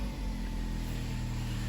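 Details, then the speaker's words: 2018 Opel/Vauxhall Mokka that had a P0300 random misfire and stutter on throttle snap, after clearing codes: engine settles to a steady, even hum with no stumbling as unburned fuel clears and revs stabilize; running normally, check engine light later off. "I suppose, there was unburned fuel in that cylinder for a little while, and it's clearing itself out. Our rev counter is stabilizing out."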